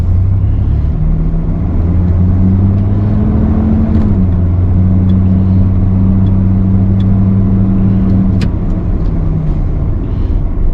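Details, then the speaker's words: 1992 GMC Sonoma GT coasting in neutral after rear brake work and new stainless rear brake hose, fixing worsening rear brake drag; only low steady road rumble, no scraping, squeal or drag, brakes running free. "i just put it in neutral and i'm just coasting nothing's really noticeably dragging doesn't seem to be having any issues with doing that"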